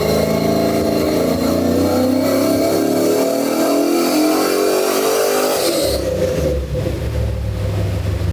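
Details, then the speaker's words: 1953 truck with LS swap and Holley EFI, after fixing an unusual EFI problem: clean, even pull with tone climbing smoothly through the revs, then a crisp lift-off; normal engine under load on all eight cylinders. "obviously it was running on all eight cylinders now and everything went back to running like a normal car at that point"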